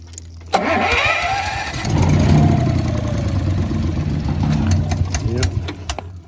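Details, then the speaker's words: Honda EB11000 generator on 20 lb propane tank in cold weather, primed and fuel valve opened slowly; starter grinds, engine stumbles and coughs then quits; owner suspects excess-flow valve tripping or low tank pressure. "Not good. Yeah, it's not working. Just like that, it quit."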